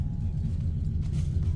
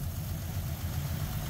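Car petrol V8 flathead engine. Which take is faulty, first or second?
first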